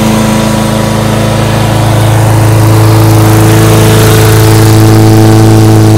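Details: Husqvarna lawnmower after blade replacement and tune-up (recent spark plug kept): smooth, steady hum at constant speed with no stumbling or hunting; runs much better than before, normal running.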